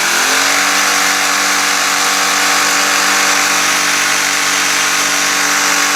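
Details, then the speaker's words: Pressure washer small engine with the throttle linkage adjusted: the engine drones steadily but, about a second after the pump engages, a harsh metal-on-metal grinding rides over it; the owner suspects pump wear or low pump oil, not confirmed. "right is that when it's engaged right it runs fine for like a second and then it goes to like this this sound where it seems like it's metal grinding on metal"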